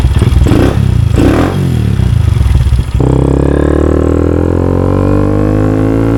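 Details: Honda Grom single after installing a DHM S1 camshaft, adjusting valve clearances and refitting the exhaust: catches after a brief crank and settles into a smooth, even idle with no ticking or knocking. Normal.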